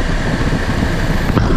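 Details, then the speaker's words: Car, engine running, AC on, after reconnecting AC compressor connector during relay/fuse power diagnosis: steady running with single faint click as the AC compressor clutch engages; normal operation. "ac is still running so all we need to do is crank the car up you hear that ac compressor engaged"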